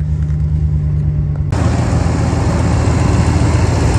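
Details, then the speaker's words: Salvage Ram pickup at a Copart yard, 160,000 miles, ABS and trailer-brake lights on: deep, steady idle with even low rumble and no knocks or ticks; normal, healthy idle. "engine sounds very healthy yeah got some oil stains over there big deal 160,000 Mi that sounds great somebody definitely took care of this truck"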